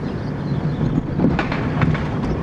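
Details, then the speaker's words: Dodge Neon driven over a rough road. Dull bang-thump noises on each bump come from the front end over road and wind noise, traced to worn front sway bar bushings. "once we get going down through here you can hear it there we go hear that noise some bang bang thump bang bang that's the noise that we're gonna be working on today"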